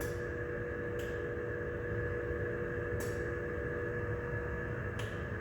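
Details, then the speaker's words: Datex Ohmeda Carestation anaesthetic machine during its self-check, after O2 flow control passed: steady internal hum with a faint whistle and soft clicks every two seconds from inside the machine; airflow control check running normally, passed. "The O2 flow control is okay. Now checking the airflow control."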